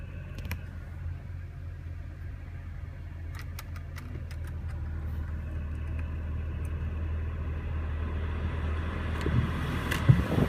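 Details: BMW petrol engine idling with AC switched on: low uneven throb with hunting RPM, rough and shaking; scan showed cylinder 4 misfire and low-airflow throttle code.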